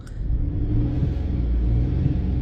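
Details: 2004 Chevy Silverado 4.3L V6 with a random misfire code, revving off idle while fuel trims add fuel: a low rumble with a lumpy, uneven pulse that stumbles as it revs; misfire.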